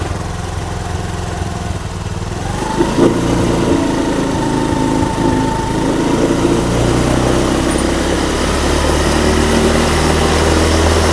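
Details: Honda Beat Street FI scooter that stuttered and died when throttled, after cleaning out built-up deposits. It now settles into an even idle and revs up smoothly without stumbling or stalling, running normally.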